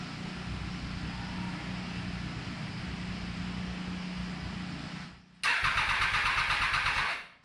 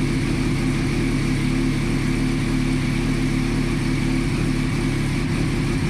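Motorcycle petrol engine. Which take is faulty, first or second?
first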